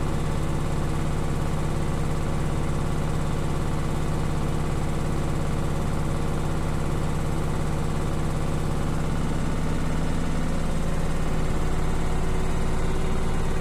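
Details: Beko washing machine, bought 9 months ago, without this sound for the first 6 months; legs levelled repeatedly and vibration dampers added. Fast steady spin hum with a light rapid tick that settles as the drum slows; ticking during the spin cycle, source unknown.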